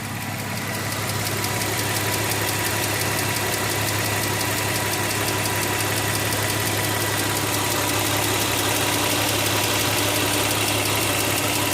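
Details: 2003 Infiniti FX35 V6 at 120,000 miles, otherwise running perfectly, idling with a light, fairly regular clicking of about three to four per second. Owner suspects the fuel pressure regulator, whose damper vibrates but not in sync, or valves/lifters needing re-shimming.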